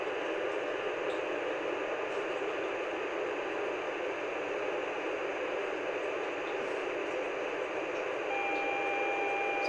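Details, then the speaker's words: Yaesu FTM-400DR radio: steady hiss with a pair of thin tones cutting in about every 15 seconds, transmitting or receiving UHF, in or out of the vehicle, optional boards removed; cause unknown. "clockwork in about 15 seconds or so no matter transmitting uhf receive UHF in or out of my vehicle I get this noise"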